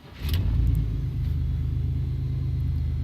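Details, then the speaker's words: 2000 Chevy 1500 V8, non-flex-fuel truck with 35 lb fuel injectors, running E85 for three to four weeks. Deep rumble flares right after start, then drops to a steady, even idle as it leans out the mixture; runs fine, no damage. "but as you can hear it runs it just fine there's been no damage i've been running it for about three to four weeks now"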